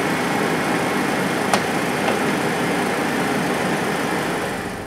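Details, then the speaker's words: Junk Chevrolet S10 engine after a GUNK motor flush and oil change that drained very heavy sludge from the oil pan: steady, smooth idle with the earlier tick gone and no engine noise. "I'm pretty impressed like I said I don't engine noise whatsoever coming out of this thing now"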